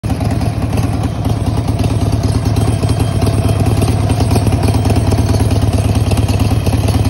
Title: Help! Does anyone know what this metal like rattling noise could be? Sportser Xl1200 (1996)